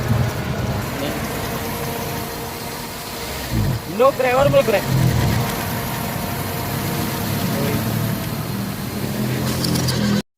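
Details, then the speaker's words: Toyota Vitz with engine vibration and low power: uneven, shaking idle with a lumpy low beat that sags, then the engine cuts out abruptly; rough idle and stall. "Okay so nakita niyo guys namatay bigla yung makina at malakas yung panginginig so lalo na ag naka-idle lang siya"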